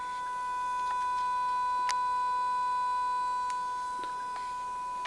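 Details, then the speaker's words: TimeLine Micro Lynx keyboard unit with its PCB resting on a plastic casing that amplifies the sound, louder than normal: a steady, pure high whine near 1 kHz from a small transformer on the board. "I've got the PCB sitting on this plastic casing now, so it's actually amplifying the sound of that little transformer."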